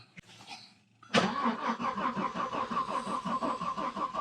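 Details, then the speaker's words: 1991 Audi 90 quattro Sport 20v that sat about 14 years is cranked by the starter at an even rhythm of about three pulses a second but never fires. It has compression and spark but gets no fuel, and starter fluid only made it sputter. Owner suspects very old gas. "the 90 has compression has spark not getting fuel tested it with some starter fluid fired up in the sense that it sputtered and drank up the fluid that I gave it"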